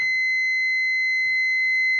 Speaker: so if your diet is shed it'll give a continuous beep